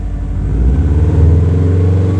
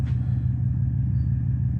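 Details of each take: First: 03 Subaru WRX wagon, 236,000 miles, freshly rebuilt bottom end and milled heads, after installing Invidia downpipe and HKS full exhaust (previously no exhaust): low throaty rumble rising and falling with throttle, not harsh, no rattles or leaks, normal. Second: 03 Subaru WRX wagon, 236,000 miles, freshly rebuilt bottom end, clutch replaced 1,500 miles ago, running with no exhaust fitted after rebuild: deep, heavy, raw boxer idle rumble, far louder than stock, even for a Subaru.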